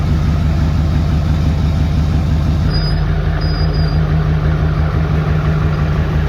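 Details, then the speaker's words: Rebuilt Duramax diesel idling with no exhaust fitted, not quite a cold start: a loud, deep open-pipe rumble with steady firing and no knocks or misses; a healthy engine. "Sounds good. Oh, we didn't put the exhaust on yet. That's something we got to do."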